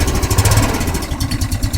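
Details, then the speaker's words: Riders Super Cub 110cc (Chinese Honda C90 clone, air-cooled single 4-stroke) after cold start on choke, in neutral: even steady thump with light top-end chatter, ticks over nicely like a Honda Cub; warms up in a few minutes. "I mean, it ticks over very nicely. It sounds as I remember a Honda Cub sounding."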